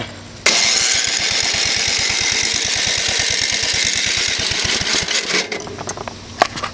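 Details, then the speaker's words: Tractor hard starting: runs fast and even only with choke pushed fully up, then stumbles, sputters and dies when moved to the turtle setting; choke cable appears fine, cause unknown. "and I have to really Crank It Up push it all the way up and I start it then it start put it down to the turtle and it just stops"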